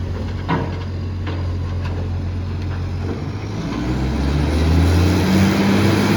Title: Mandurah Good Friday garbage - roaring SJ truck SL01400 (massive exhaust leak)